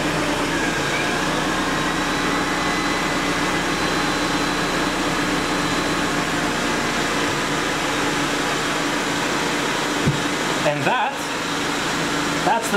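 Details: Mercedes secondary air injection (smog) pump, after new pump and replacement relay installed: steady even airy hum with faint whine; normal secondary air pump operation.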